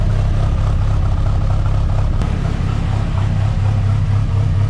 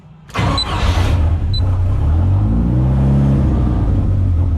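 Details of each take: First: Rat10 engine after tuning changes, idling at 12–13:1 air-fuel at 1,000 rpm with stable injector pulse width and idle air motor a bit high: deep, even, smooth idle with no misses or knocks, healthy. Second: Rat10 engine on a laptop-emulated 90s ECU being tuned toward closed loop, revved after a restart: it catches, then bogs flat and hesitant on the first blip before revs build, lean on tip-in right on the pedal.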